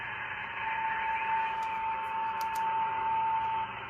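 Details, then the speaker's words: 1972–73 Pearce Simpson Cheetah 23-channel SSB CB radio, first power-up in over 20 years, squelch off, on lower sideband: soft steady hiss with a faint constant whistle riding through it. Hardly any static that day, receiver working normally. "Today's one of those rare days I hardly have any static."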